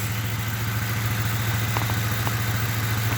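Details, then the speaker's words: 2008 Ford Crown Victoria with code P0351: low idle with a steady rhythmic lope about three pulses a second, one cylinder misfiring because no power reaches its ignition coil, not the plug, coil or injector. "like no that's not the issue the issue is you're not getting power to it man"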